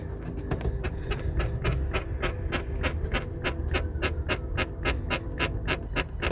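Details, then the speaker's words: London black cab, driver's side seat: sharp, dry squeaks about three times a second as the seat back is pressed, heard when someone sits in it; rear seat spring suspected, unconfirmed. "when you when you touch the seat see it's got that spring in the back of the seat there and then someone's sitting in it you can hear a noise"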